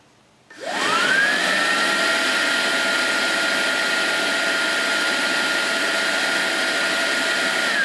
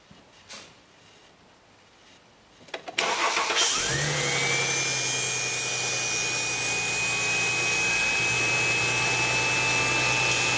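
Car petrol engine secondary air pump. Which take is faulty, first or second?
second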